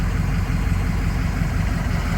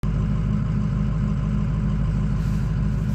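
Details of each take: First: 6.0 diesel at warm idle after replacing the aftermarket IPR with an OEM IPR: low, steady clatter with an even rhythm and no stumbles or surging. IPR and ICP numbers are now proper; normal warm idle. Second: Ford 6.0 diesel cold idle, warming up: loud, slightly uneven rumble with a lumpy beat; ICP pressure high, 14% reading, also no-start when hot; faulty injection pressure regulator valve, fixed by an OEM IPR.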